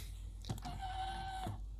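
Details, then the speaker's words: Minn Kota PowerDrive trolling motor with i-Pilot, modified with a switch to swap in the foot pedal. A short, even whine under a second with soft clicks either side: the steering motor is heard running normally. "As you can see, if I try to steer the motor, it's not steering. But you can hear the motor still running."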